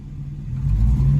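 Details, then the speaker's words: 1997 Ford Thunderbird 3.8 V6 being revved during overheating troubleshooting (water pump, thermostat replaced, electric fan failed, fuse blown); uneven, lumpy deep rumble with hood shaking, a huge misfire, two cylinders apparently weak. "you can hear it better now listen that's a huge misfire"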